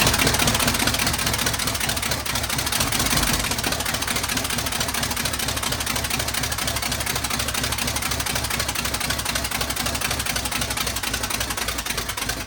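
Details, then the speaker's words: Truck that overheats to 230 despite a 190 thermostat (owner suspects thermostat or water pump): loud idle with a fast, uneven ticking about three to four per second; a new noise, source unknown. "That's a new That's a new development sound. I wasn't supposed to sound like that good. I ain't got a clue what that sound was. Huh. It ain't never sound like that before."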